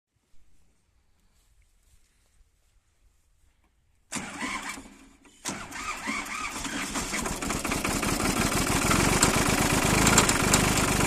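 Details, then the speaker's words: Solis tractor diesel engine starting after a quiet spell and settling into a steady run with a regular knock near three per second: connecting rod bearing broken. "बन तो गयो connecting road है। बेरिंग टूट गयो।"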